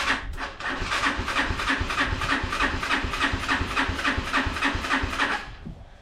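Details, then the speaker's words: Unidentified, probably Chinese four-wheeler, choke on, jump pack, started via solenoid with screwdriver and starting fluid: steady cranking about 3.5 beats a second, never catching; bad-smelling gas, carburetor jets suspected clogged. "Cause I don't want to take it off if I don't have to, but I'm pretty sure the jets are going to be clogged. I can smell bad gas right there."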